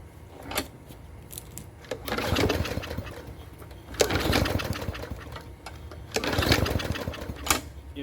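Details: Yard Machine mower left outside in rain, sand in the carburetor and bad primer bulb; runs on fresh fuel after carb cleaning. It revs in uneven bursts and hunts; the carburetor housing is judged damaged and needing replacement.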